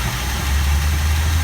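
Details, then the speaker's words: 1964 Buick LeSabre Wildcat, original owner, first start after 28 years on blocks with no coolant, a little ether, old spark plugs and oil poured in the cylinders. Steady, even low rumble with no misses or knocks; smooth, healthy idle. "fire up, it sounds very nice. I don't think there's a lot wrong with it, Ron."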